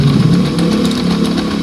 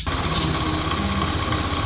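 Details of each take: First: Honda Scoopy FI scooter at idle, brakes checked free: loud, rough droning from the CVT side as the rear wheel spins without throttle and stops when the brake is applied; detached clutch shoe lining causing clutch drag. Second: Honda Scoopy FI scooter after CVT clutch shoe repair: steady, even idle putter with no knocks, slips or scraping; rear wheel no longer turns at idle; normal idle.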